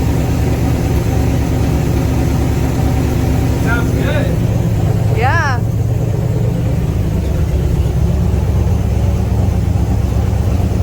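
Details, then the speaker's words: 1969 Pontiac GTO 400, 3-speed, first start in 40 years: deep, lumpy V8 idle with a slightly unsteady beat, no revving; a vacuum leak is suspected as the cause of the rough idle. "Dude, it sounds really good. It's just idling, dude. Yeah. It's this vacuum leak."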